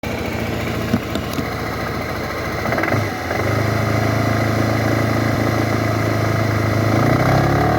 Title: 2012 Suzuki Burgman knocking sound under acceleration, just sound , no video